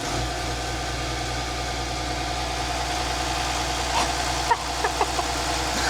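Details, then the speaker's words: Volvo Penta TAMD 71B marine diesel unrun for 10 years in a partially sunk boat, first start: steady even low idle drone without knocks or misfires; engine sounds healthy. "That sounds mint. That sounds really good."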